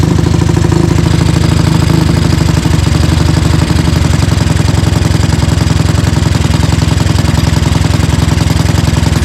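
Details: Tao Tao 250 YFZ-style quad with newly installed single-cylinder engine and D7 spark plug, freshly started before warm-up: loping, slightly uneven idle with some clatter over the thump, idles oddly compared with the old engine; cause not found.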